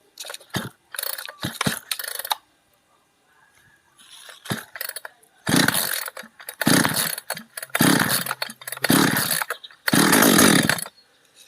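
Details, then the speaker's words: Chainsaw stored over a year that wouldn't start, compression good, tank half full, on choke: rough pull-starts, catches in short uneven bursts, sputters and dies; spark seemed to flicker, plug to be checked and changed. "โอเคโอเคติดแล้วมันจามครับเดี๋ยวลองเช็คหัวเทียนดูเราจะลองเปลี่ยนขเทียนดูก่อนนะครับ"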